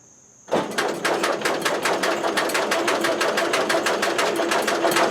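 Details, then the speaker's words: Allis-Chalmers Model B four-cylinder gasoline tractor, sat eight years, after carburetor cleaning: slow steady cranking about three compression beats a second, never catches; fuel believed present, compression sounds good, no spark seen at plug; cranks but no start, no spark. "okay so what I have determined thus far is I believe I'm getting fuel I'm not gettin spark'd I just took this spark plug out tapped it against the frame while cranking and I was not seeing any spark on that so I'm thinking I have a spark problem because compression sounds good"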